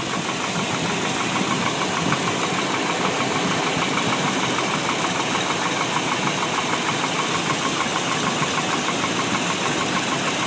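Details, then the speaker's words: 1998 Chevy 350 V8, 180,000 miles, idling after a few minutes' warm-up, oil pressure 50-55 psi: light, uneven tapping about twice a second, quieter than cold; owner wonders if water pump or front pulleys cause it. Engine knock at idle. "this is after a few minutes of warm-up it's definitely still knocking not as loud is there any chance it could be the water pump or any of these other pulleys in the front that's knocking"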